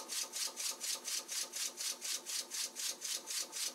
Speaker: While initially wanted pressures on the order of 15 psi, it's now capable of self-starting and running at noticeably lower pressures, suggesting a reduction in friction losses over time.